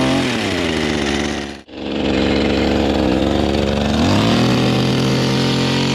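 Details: Small two-stroke engine after flooding with wet spark plug cleared; revs hard, dips briefly, picks straight back up and holds a clean steady high pitch; running properly.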